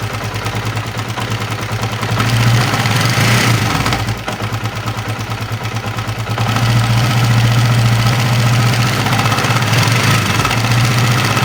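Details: Honda CB150R idling with a coarse, rattly clatter over the firing beat, louder as revs lift; mechanic hears a rough noise seemingly from the upper left of the engine, cause not confirmed.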